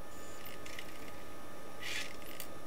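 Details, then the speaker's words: Sony MDS-JE480 MiniDisc deck, bought faulty, after repair: soft whir and light clicks as a blank disc loads and the table of contents reads; mechanism smooth and healthy. Normal disc loading and TOC read. "But will it accept a disc? Yes. Table of contents reading blank disc."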